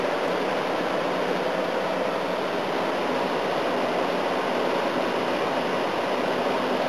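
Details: A/C unit on high fan, leaves inside, coils damaged and jammed into the case: steady, even rush of air with no rattle or grind; runs normally and is cooling.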